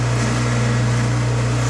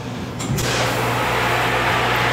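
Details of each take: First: Bottle-washing machine pump flushed with emergency stop engaged: steady, rough low hum with no sound of liquid moving; pump running nearly dry because there is little liquid. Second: Bottle-washing machine draining its first soap wash before refilling with boiling rinse water: constant low motor hum, steady drone and faint watery churn; normal draining cycle, machine very loud.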